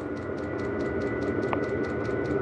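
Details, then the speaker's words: Diesel heater in an overland trailer at minus five °C: glow plug off, flame detected, then steady fan hum with quick even fuel pump ticking about five per second; lit and running normally. "glow plug's kicked off it's ignited it's detected a flame and you can hear the fan"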